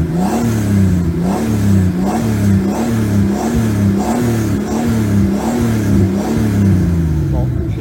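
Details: BMW E46 328i turbo conversion, after refitting the turbo, reworking and shortening the oil return, draining 1 l of oil and removing the breather to cure grey oil smoke: short even throttle blips about every three-quarters second, clean rise and fall, no misfire or rattle; normal revving.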